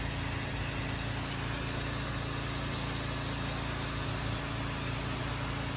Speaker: And I can hear that downstream injector drawing from here. That's the other thing too. I haven't really been able to hear that thing. Usually I can hear it. It sounds like a friggin' turbo on a diesel truck or something. You hear it wind right up, and it hasn't been doing it. Now it is.